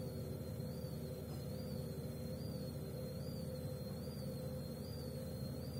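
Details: Gorenje W98F65I/I washing machine, 8 months in use; thin high whistle over a low drum rumble, wavering about once a turn, the drive belt squealing.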